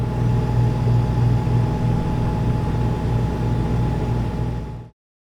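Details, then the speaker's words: Refrigerator compressor running normally: a distinct, steady low hum from behind the fridge with a faint thin tone above it. "when the compressor runs you'll hear a distinct hum coming from behind the"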